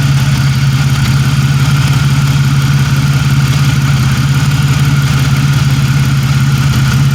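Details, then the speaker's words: 1997 Pontiac Grand Prix GTP coupe idling with no catalytic converter fitted: a steady, even low rumble with a smooth regular pulse and no knocks or misses; normal, clean idle. "man she's running great nothing no no cat on there"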